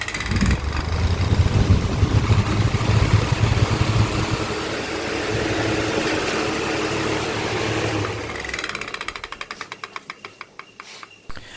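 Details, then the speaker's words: Table fan running: hum with a sharp repeated tak-tak ticking, heard at start and end, slowing and fading as blades coast down; caused by loose blade cap under the front guard. "चलने के time जो टैक टैक करके sound आ रहा है। पहले और last में आ रहा था अभी और इसके पहले जब हमने सुना था तब बार-बार हो रहा था।"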